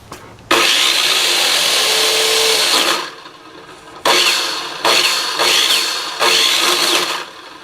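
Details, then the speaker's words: Hitachi miter saw after bearing replacement, each spin-up gives a harsh rough high whine and rattle fading on coast-down; the motor bearing is found falling apart. "well sounds like it might be that brake in there well since the other bearing seem to be okay I pull the one out for the motor and I can see that it's it's falling apart too"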